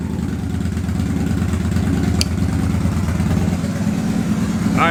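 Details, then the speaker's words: Victory High-Ball V-twin motorcycle just after an oil change and cold start: lumpy, even idle with deep steady exhaust beat, no knocks or misses; sounds healthy. "let's go ahead and fire the biker and see what she sounds like oh yeah nice little cold start here we go"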